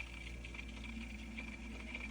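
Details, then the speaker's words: Setpower portable fridge/freezer: quiet compressor hum with a thin, continuous high squeak heard throughout the house early morning, loud enough to wake the owner; source unidentified; battery pack also gets very hot. "Um you can hear this the squeaking throughout the house. It's early in the morning. It woke me up."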